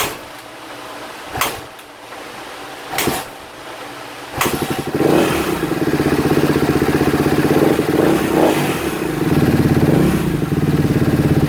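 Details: 2016 Kawasaki KX250F fitted with a new fuel pump, plug, wiring harness, stator and CDI. A few kicks, then it idles and revs with a light ticky, rattly chatter; the mechanic suspects valves or a top end is due, possibly why the idle won't come down.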